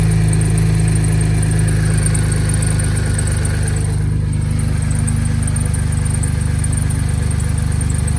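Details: 2011 Ford F-150 3.5L EcoBoost V6 after installing a Master Lube pre-oiler to cure cold-start rattle: steady low idle with even pulse, no rattle or ticking, oil pressure present; healthy.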